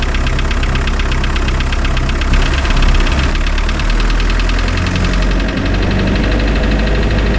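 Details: Spryte snowcat "Rusty" turbodiesel after new OEM Zexel fuel injectors fitted and primed: steady even clatter at idle, regular firing, no misses or uneven knocks; idles noticeably smoother, rock solid after acceleration.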